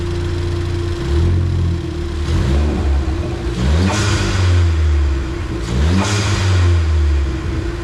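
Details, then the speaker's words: Ford Fiesta ST just after fitting new NGK spark plugs at stock gap, checked for misfires: a smooth, even idle that climbs cleanly through several revs and settles back with no stumble or miss. "How do you know if it misfires? You'll hear it. Oh. Yep. She is sounding good."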